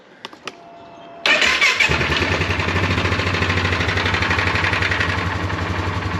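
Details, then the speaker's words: Polaris ATV after repair with fresh coolant catches on the first crank, starter sounds good with no grinding, and settles straight into a steady, even putter with no misses or knocks; healthy. "nothing leaking but you can hear the starter sounds really good no grinding fires up first try looks good sounds really good sounds really nice"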